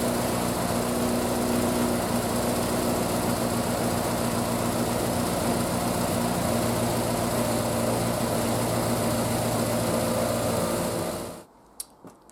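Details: Triumph Spitfire, start after single-carb conversion and fuel line work, cold, full choke, in neutral: steady, even fast idle with a smooth beat and no misses, then switched off; sounds healthy.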